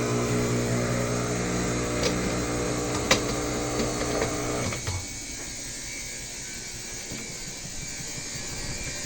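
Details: Midea BWS24 washer draining: even motor hum with mild ticking, no grinding or rattle, then quieter; moves but lacks the loud noise of the neighbour's unbalanced Midea Healthguard, drain pump normal.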